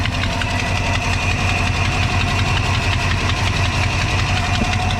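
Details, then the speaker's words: 1982 Chevy C10 5.0L V8 at low idle: a quick, sharp ticking about three per second from the right bank. The cause is a broken exhaust manifold gasket, whose escaping hot gas damaged the spark plug insulators. "the right side of the right s like a a noise or knocking noise could be leaking ex manle or maybe leaking at a muffler"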